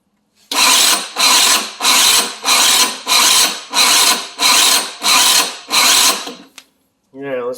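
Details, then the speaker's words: 50cc Chinese scooter after installing a performance clutch: eight short, even bursts of the starter whirring with the engine not catching, a slow struggling start; battery suspected to be going, cause unconfirmed. "the jumper on here sounds like the battery's starting to go so it looks like our start is going"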